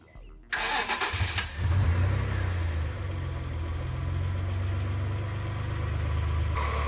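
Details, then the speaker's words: 1988 Acura Legend V6, sat 10 years, after fitting new rebuilt OEM fuel injectors (previously ran rough): short crank, then a smooth steady low idle with no misses; runs far better. "Cette légende fonctionne à 100% mieux maintenant avec de nouveaux injecteurs"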